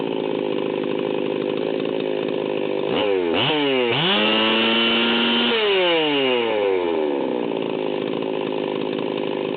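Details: Ported Stihl 038 Magnum chainsaw near wide-open throttle at about 14,100 rpm, high steady scream slightly soft and burbly at the top; high-speed needle about 3/8 turn, set super rich deliberately for break-in.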